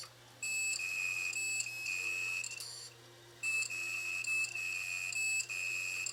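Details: Failed 1TB Toshiba hard drive from a failed DVR, powered up before teardown: repeated shrill beeps in 1-2 second bursts with no spin-up whir; dead drive.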